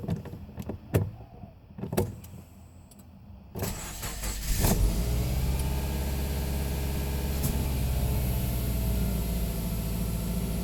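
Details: 2009 Subaru Impreza after a new catalytic converter, coil packs and plugs, two injectors replaced and two cleaned: a few clicks, then it catches and settles into an idle that wavers and shakes unevenly. Rough idle.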